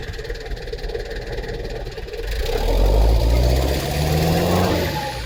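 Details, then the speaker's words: Mitsubishi Delica diesel with a newly fitted Kunigawa turbo (the old one lost boost over a year) and a new short side-dump exhaust: revs up with a low drone and a rising whistle that climbs with the revs; the turbo spools normally. "and it sounds much more cleaner, meaner, angrier. So let's hear it. And I can actually hear the turbo spool this time."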